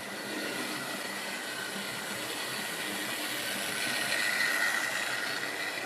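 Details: Wrenn West Country class model loco Lyme Regis, not run since the 80s, after joints greased and reassembly: light, steady whirr and fine hum lifting slightly as it speeds up, no grinding or stutter.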